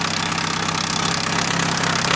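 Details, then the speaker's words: 2015 Chevrolet Aveo petrol engine idling with the timing cover off: a fast, even ticking like lifter noise, actually a loose, detensioned timing belt slapping the cover; another shop had blamed the lifters and possibly the main bearings. "el problema que ocasiona ese ruido amigos es nuestra banda de distribución que pues se destensó perdió su censura ahora pues mire está muy floja Claro que arranca y pega con La Tolva"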